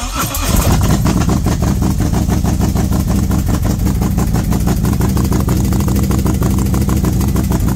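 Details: V-twin motorcycle with SS540 cam and valve springs, after repair where a part popped back into place, warming up at 40°F outside: quick start, strong even idle with intake air sucking, no ticking; sounds healthy.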